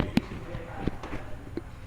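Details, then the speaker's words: Honda Civic G10 at 100,000 service, suspension and bushings checked OK, microphone held close to suspension: sharp single clunks about every 0.7 seconds. Worn sway bar end link, one still original; replacing it will stop the noise. "Então é só trocar essa Beretta e o barulho vai parar problema simples e já vai ser resolvido"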